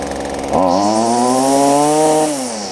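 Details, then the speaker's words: Stihl FS45 trimmer after replacing the carb, fuel lines and fuel filter, cold outside, warmed briefly: snaps cleanly from idle to a steady high buzz and back, no bogging; runs great unadjusted, though the high-speed screw may need slight richening. "oh almost sounds like the high side might need to be pulled out just a little bit but oh"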